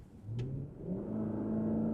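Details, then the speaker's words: 2006 Ford F-150 5.4 L V8 at full throttle: the engine note climbs only slowly and evenly with no surge or stumble. It's not falling on its face, just down on power. Several parts were already replaced without a fix. "Yeah, nothing. This thing does not want to go. It's not really falling on its face. I'm going to pause that so I can look at it in a minute. It's not really falling on its face. It's just not going."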